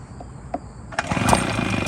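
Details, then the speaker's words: Small pull-start engine with its air filter replaced by cigarettes in a baby-bottle housing, on the second try with more holes. It sputters, briefly catches, then labours and never settles; restricted intake makes it hard to start. "I already cleared it out. It was choked out bad. Still not happy. Nope. Still not happy."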